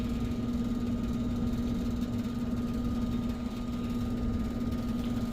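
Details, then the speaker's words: Daikin outdoor HVAC unit that was squealing and needs a capacitor: startup now an even, steady hum with faint constant whine and no squeal; running much better. "Yeah, that's a lot better there. That thing ain't squilling like it was."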